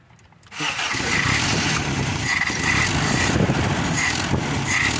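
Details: Toyota Kijang / Tamaraw FX with dirty frozen carburetor: engine catches after short silence but runs rough and uneven with a scratchy, unsteady beat; hard starting.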